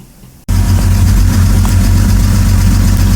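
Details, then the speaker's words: BMW N52 engine with lifter noise, before warm-up: a steady, loud run with a fast, light ticking riding over it, lifters needing to bleed down. Lifter tick. "you can hear the noise it's pretty bad so i'm going to hold it there for two minutes"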